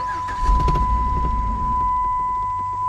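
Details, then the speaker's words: 2006 Dodge Ram 1500 with a crank-no-start problem: the engine fires briefly with a rough surge, then stalls within a second over a steady chime. It runs great on starting fluid, so it is fuel-related; a failing fuel pump is suspected. "that's actually the best it's ever done as you see it just stalls it tried but it's just not quite doing it and i know it's fuel because watch this"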